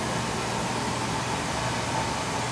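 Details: Oil boiler burner with a stack switch, fired during annual service: a steady, even roar with a faint constant hum and no pulsing or rumble. The burner lit cleanly and runs normally.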